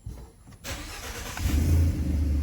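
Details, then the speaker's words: Ford F-150 with codes P0130 O2 sensor fault and cylinder 3–6 misfires, started with the O2 sensor removed: it catches and revs, but the pull sounds uneven and ragged, running rough. "can hear cut sounds like doesn't sound good"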